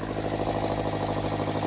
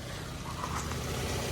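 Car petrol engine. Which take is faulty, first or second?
first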